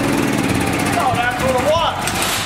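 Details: Honda GX340 engine on a Wacker generator, after reassembly with the original insulator and carburetor and the correct gaskets fitted. It fires and holds one speed with a steady, even drone, no misses, surging or knocks; normal running.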